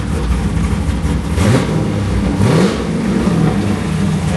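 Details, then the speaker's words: Truck, cold start then two quick throttle blips; engine climbs cleanly and drops back to steady idle with no knocks, misses or rattles, water coming from the exhaust, sounds healthy. "This thing, you know, it's healthy when water comes out of the exhaust."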